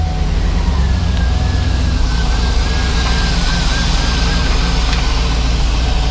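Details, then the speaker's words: GMC Yukon Denali 6.2L LS (DOD) after pulling heads and replacing lifters; steady even idle with no ticking or chatter from the top end, lifter noise gone: normal idle. "the engine sounds great there's no chattering this will lift their tank there's nothing"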